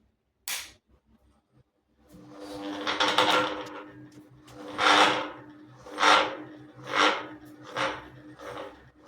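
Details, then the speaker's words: Ceiling fan at start-up: click, then hum with loud rasping scrapes that quicken as it spins up slowly at reduced speed, from dry, hardened bearing grease. "હું પંખો ચાલુ કરું છું એવું તે સ્ટાર્ટિંગમાં પંખામાં ખૂબ જ અવાજ આવે છે અને પંખાની ફરવાની સ્પીડ ધીમી થઈ ગઈ છે"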